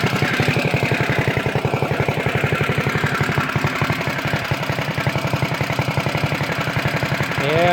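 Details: CT200U-EX mini bike, governor removed, PVL flywheel, Mod 2 cam, 22 lb valve springs, ARC billet rod, RVL exhaust, Mikuni carb, just reassembled: quick, even single-cylinder putter about four pulses a second, no misses or knocks; healthy.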